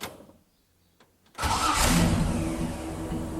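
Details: Jeep Willys start: after a near-silent pause the engine cranks briefly and catches cleanly into a steady, continuous run; a healthy, firm start.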